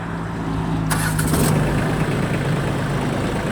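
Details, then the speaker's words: Shibaura D215F Japanese mini tractor, 21 hp three-cylinder, 754 engine hours, from a Japanese auction: a brief crank, catches at once and settles to a steady, even low idle; starts very easily with no extraneous noises. "запускается очень легко работает ровно [музыка] иметь или не издает никаких посторонних звуков"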